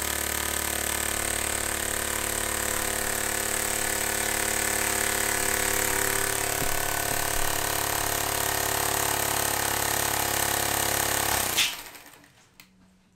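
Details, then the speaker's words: Homemade compressed-air engine running freely with a leak still present; quick, even puffing of about three and a half beats a second, steady until the air is cut; normal running before a throttle is added. "so that's just gonna keep running forever so let's see if we could have a throttle to it"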